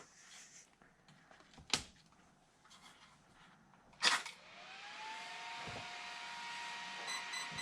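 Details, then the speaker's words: Traxxas X-Maxx 8S RC truck motor, about one to one and a half years old, spun up after teardown for a noise: steady motor tone with a rough, gritty hiss; front motor bearing is shot. "oh no that bearing is shot in the front of that motor"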